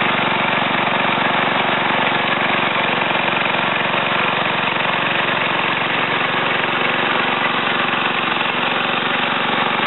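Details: Ariens TA20A Trans-a-matic rototiller after engine rebuild and plate-clutch repair, carburetor untouched, tilling ground in a wooded area: steady, even single-cylinder drone at constant speed under load, no misses, knocks or surging; normal running.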